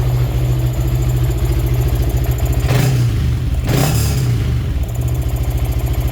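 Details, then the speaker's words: Karisma 125 with a swapped-in Yamaha R15 V3 engine, reassembled after a suspected rocker arm fault with valve clearance reset to standard. Deep, even idle with short throttle blips and no ticking or sewing-machine noise: normal idle. "senang banget akhirnya suara mesin Karisma ini bisa kembali ke suara"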